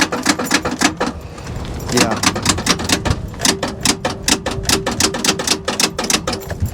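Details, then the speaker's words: Salvage-auction car at walk-around: rapid, even clicking about four times a second with no cranking; starter clicks strongly but won't turn the engine, possibly locked-up motor; cause suspected, not confirmed. "i was too because if she would have just cranked and you can hear it's crank is strong it's strong it's like we're not cranking strong but it's clicking strong"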